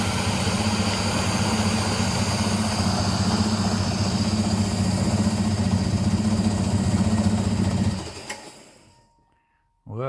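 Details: Secondhand air compressor unused for many years, after motor repair, tank being drained of oily muck and water: a steady motor-and-pump drone with an even pulse around four beats a second, then it shuts off. Running normally.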